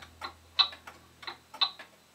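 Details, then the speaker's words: Pendulum wall clock, ticking amplified: ticks fall in uneven pairs like a heartbeat instead of even tick-tock; clock out of beat. "it sounds sort of like a heartbeat it's going bump bump bump bump bump bump bump bump what we want to hear is bump up top up up up up even like that"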